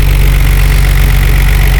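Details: 1989 Nissan Skyline R32 GT-R, higher-mileage, accident-repaired Japan-auction import, engine-bay check: deep, steady idle with an even pulse and no misses, knocks or rattles; engine idles smoothly and sounds healthy.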